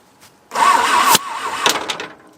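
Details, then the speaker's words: Abandoned, long-buried 1950s-60s Willys Jeep truck on an Iowa farm, battery charged for half an hour after a suspected dead battery: short, strong, brisk starter cranking that winds up evenly and cuts off; normal cranking speed. "Attempt 8,000. The battery's charged for half hour. Seems happier."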